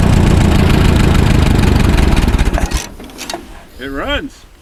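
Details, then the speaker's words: WD-45 tractor that sat in a barn 10–15 years, points good, fresh fuel in clean tank: tired engine catches and chuffs unevenly with lumpy firing pulses, then dies away; rough running, needs tinkering after sitting. "yeah it needs some it needs some tinkering"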